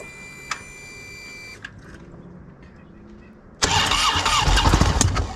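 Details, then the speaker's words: Victory motorcycle V-twin with fresh big bore kit cranks and fires roughly on startup, sharp backfire pops escaping from a blown head gasket. "Oh yeah, we got the backfire right out of the head gasket."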